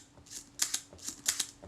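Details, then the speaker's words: Agfa Record II folding camera, Synchro-Compur shutter after service and reassembly, set to 1/10 second: two crisp paired clicks about a tenth of a second apart, repeated cleanly twice; shutter opens and closes evenly, sounds healthy. "That sounds good. Well, I can test those speeds and see what they're like. But all appears to be good."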